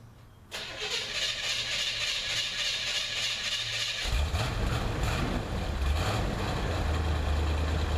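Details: 1978 Corvette Silver Anniversary L82 V8, automatic, cold start at about 60°F after sitting four months; starter catches and it fires within half a second, settling into a steady, even rumbling idle.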